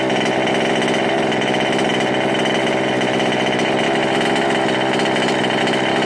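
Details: Ikilly 2 small two-stroke after clearing a flooded engine (carb removed, engine cleared): high steady buzz with a busy rattly edge, running evenly without stumbling; engine clear and running cleanly.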